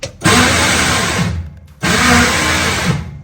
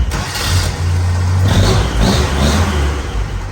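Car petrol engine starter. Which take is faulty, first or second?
first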